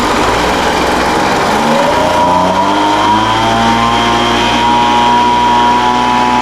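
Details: Older Craftsman 200mph two-stroke blower, sat unknown time, restarted after the high-speed mixture was opened slightly: pitch wanders and climbs unevenly for a couple of seconds, then settles to a steady high whine. Carburetor acting funny after sitting.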